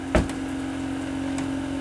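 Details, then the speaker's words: Chinese diesel heater for a camper van starting up: soft fan hum holds steady with light, spaced fuel-pump ticks; ignition achieved, temperature up one bar and the exhaust warming, a normal start. "so we got ignition it's already raised in temperature one bar and if I touch the exhaust it's getting warmer"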